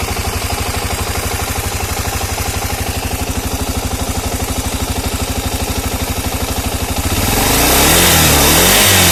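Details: Engine knock: a steady, even knocking about three per second rides on the idle, then swells as the engine revs; knock from inside the engine, cause unclear.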